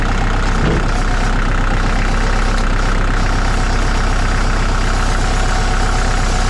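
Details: 2002 Kubota MX5000 (DT) tractor, about 960 hours: a loud, steady diesel idle with a heavy droning pump note as the hydraulic pump stops circulating fluid and building pressure; first blamed on the pump, the cause was a clogged hydraulic filter.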